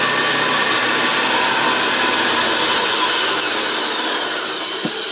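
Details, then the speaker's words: JaxVax Senior upright vacuum after refurbishment, picking up Cheerios on carpet: loud steady motor roar, even airflow rush and light ticks of debris going up; runs smooth and healthy. "It runs like a sewing machine. I can also hear it vibrate the entire floor."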